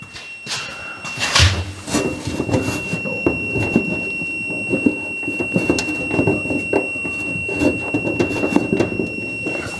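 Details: Trailer LED marker light circuit being checked with a multimeter in continuity mode: a constant high-pitched beep holds unbroken while wires are rustled and wiggled; no change, so the short remains.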